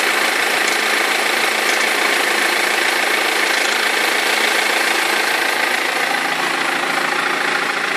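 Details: 2003 BMW E46 320d diesel idling with a fast, loose knocking and rattle from a perished crankshaft pulley vibration damper; both belts eventually fell off.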